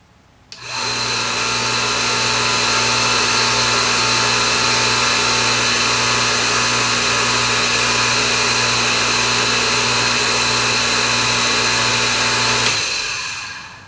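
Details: Delta 1-inch belt sander, motor run without belt after cleaning and reseating parts to cure high-pitched squeal; smooth, even tone, no whine; normal motor run after repair.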